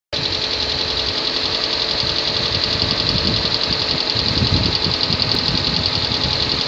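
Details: 2014 Kia Sportage 3 facelift, AWD, 13,000 km: fast, loosely spaced knocking about three to four per second under a hissy running engine. Engine knock, cause unclear.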